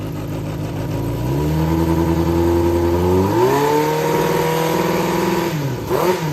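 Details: Yamaha XJR400 (4HM) engine assembly, running test, compression checked: runs smooth and even, revs up cleanly and drops back with no knocks, rattles or white smoke; healthy running.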